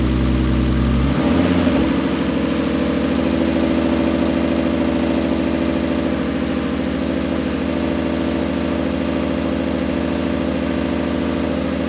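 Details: Turbo BMW E46 with an M52B28 swap, Link ECU and 1650 injectors, first start on a new base map: brief crank, then catches into an even steady idle with no knocks or misses. Motor quieted once oil circulated; normal idle.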